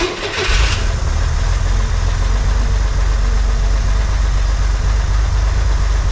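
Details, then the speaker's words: 1963 Corvair after new PCV valve and vacuum leak fix, chokes open after warm-up: brief start-up burst then even, steady idle at about 1100 rpm with steady vacuum, no misses or knocks; healthy idle. "but right now it's running it's at uh about 1100 RPM and uh now we have a steady vacuum as well"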